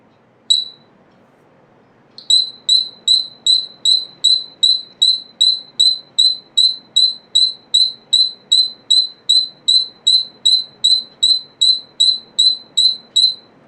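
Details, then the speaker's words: Model AD-28 flange piezo buzzer on 12V DC (rated 5–12V DC, under 12mA at 12V, 90 dB min at 30 cm): one beep, a pause, then shrill regular high beeps about 2.5 per second, its normal interrupted tone. "It produces an interrupted beep sound of minimum 90 decibels at a distance of 30 cm and operates between 5 to 12 volt DC."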